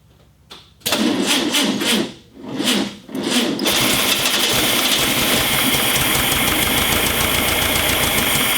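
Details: 1965 VW Beetle garage find, first start attempt in years on a weak battery: uneven cranking bursts with gaps, then it catches and runs raggedly on almost no fuel, hard starting; carburetor may need cleaning.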